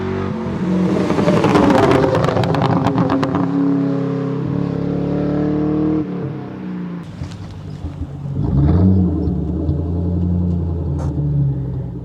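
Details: 1997 Ford Mustang GT V8 with new BBK X-pipe and SLP Loudmouth exhaust, started on a cold evening, no check engine lights: deep even burble rising cleanly with blips and settling to a steady idle; normal idle and revving.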